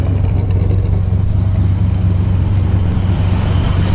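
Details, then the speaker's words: 1970 Buick GS V8 after an intake change and new alternator, with the four-barrel carb: fires right up in neutral and settles into a deep, even burble with no knocks or misses, sounding much healthier. "okay give it a little pump so fires right up under neutral as you can hear she sounds a whole lot healthier"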